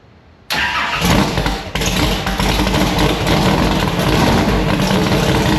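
Quick crank, then it catches and settles into a strong, even idle with a slight rev and no ticking; a healthy start.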